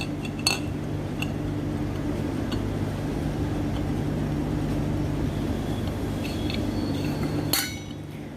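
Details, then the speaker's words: Grundfos coolant pump during reassembly, shaft turned by hand: light irregular metallic clinks as the impeller strikes the chamber because spacing is too small; fix is adding more spacer shims so the impeller clears the chamber. "आप देख रहे हैं यहाँ पे टकराने की आवाज़ आ रही है, तो ये टकराना नहीं चाहिए। तो आप इसका मतलब यहाँ पे हमारा स्पेसिंग कम डली हुई है, तो हमें स्पेसिंग को थोड़ा बढ़ाना है ताकि हमारा जो इम्पेलर है वो फॉल ना करे चैम्बर के साथ।"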